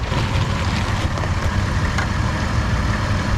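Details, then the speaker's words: Van idling warm after a test drive, following the muffler install: a deep, steady, smooth idle with zero resonance in the cab. Most of the earlier valve train clatter is gone, with only a faint trace of tick left. "and their engine's still sounding pretty good A lot of that valve train platter is gone just a little tiny bit of it but nothing like it was previously"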